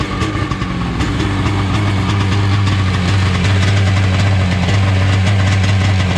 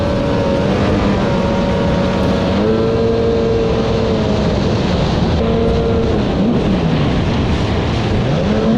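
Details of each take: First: 1995/96 Seadoo XP 800 two-stroke idling just after a starter repair, during carburetor tuning ("not 100% perfect"), with a wiggle test: loud, deep, even burble without stumbling, a normal, healthy idle. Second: 1995/1996 Sea-Doo XP 800 two-stroke jet ski: a loud, rough, wavering drone, not firing on both cylinders. It looked like a blown exhaust at first, but the flush line had popped and the hull was filling with water.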